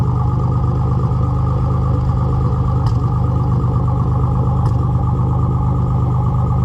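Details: Nissan Z31 300ZX petrol V6 idling before top-end rebuild; uneven, lumpy beat with occasional sharp stumbles, a misfire.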